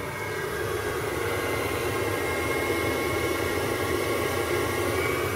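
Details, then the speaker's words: Ferroli Optimax 25C combi boiler after repair, hot tap on: fan and burner running with a steady, even rush, no knocks, rattles or surging; firing normally on hot water. "so we go over hot tap on sounds good the fans kicked in"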